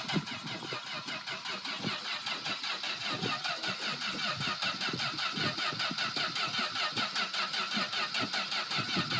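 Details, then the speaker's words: Plymouth Valiant slant six running with oil replaced by 100% Dawn soap: starts and settles into a steady, even idle with regular exhaust pulses, no knocks or ticks; sounds no different from normal. "Running on Dawn soap right now. Doesn't sound any different."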